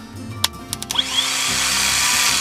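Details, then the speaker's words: Junkyard starter bench test, case grounded, power from a jump pack to the motor terminal: a few contact clicks then a quick rise to a strong, steady high whine; starter motor spins freely and pulls strong. "That motor works fine. She pulls strong."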